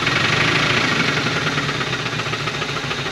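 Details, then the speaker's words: 1980 Dodge 200 truck that sat about 18 years, started on fuel poured into the carburetor: rough, smoking idle with a deep knock repeating about three times a second under the exhaust noise; worn rod bearing. "her family has success she's smoking and knocking that's perfect good job"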